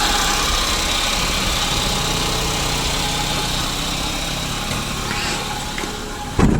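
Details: 2009 Daihatsu Gran Max at idle, before repair: steady hum with faint high whine over an even idle, noisy droning engine; traced to a worn idler pulley bearing on the V-belt drive.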